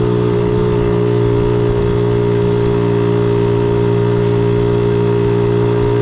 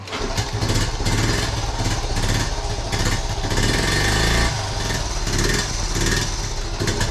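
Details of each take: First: 1976 Honda Z50J1 Monkey bike after ignition timing, points and coil work. Small single idles with an even, steady beat and no misses or stumbles; sounds really good after adjustment. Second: 1976 Honda Z50J1 Monkey, cold, half choke, unstarted for two weeks: uneven lumpy stumbling idle with dips, near stalling, pops and backfires through the carb; owner suspects fuel, later thinks the problem may be ignition (coil).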